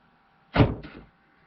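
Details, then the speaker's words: 2009 Buick Lacrosse unlock-all-doors command from an Xtool D8 scan tool body control module actuation test: a single quick, crisp clunk-thunk as all the actuators throw together, with no buzz or stalling; the doors unlock normally. "we'll go ahead and unlock all doors right now all the doors are locked now we're going to unlock them"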